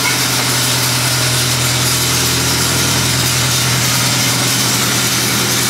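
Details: LeeBoy 635B motor grader: steady machine drone with hard, busy metallic chatter over it; drive chain failure, broken drive chain and bearings in the chain case.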